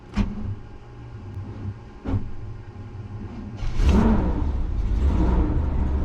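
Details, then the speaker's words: 1990 Fleetwood Bounder motorhome, Chevrolet 454 big-block V8, cold start after sitting since yesterday: starter grinds over slowly and unevenly before the engine catches into a rumbling idle; starter suspected to be on its way out, timing recently improved. "There was a little, you know, it's that starter just might be on its way out."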